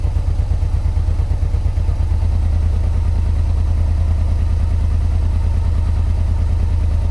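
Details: 1986 Yamaha Venture Royale 1300 with 86,000 km, first start after sitting 7 years on old fuel and oil. Steady low idle with an irregular light clatter, about two beats a second; owner attributes the knocking to 7-year-old oil, cause unconfirmed.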